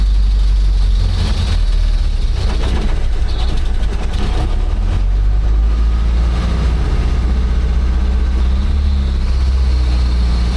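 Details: Old "800" truck, just revived after distributor retiming, in gear and rolling: steady, deep low engine rumble, even and unbroken, with no knocks or misses. Normal running.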